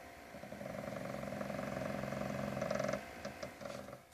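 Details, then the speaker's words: PS4 console, TV audio muted, idle or with disc: rough buzzing grind pulsing about four times a second over fan hum, vibrating the case, worse in graphically intensive games; motherboard CPU/GPU cooling fan grinding, not the disc drive. "um it gets much more intense when you're playing a graphically intensive game like Wolfenstein but if you listen closely I have the audio on the TV muted you hear that grind"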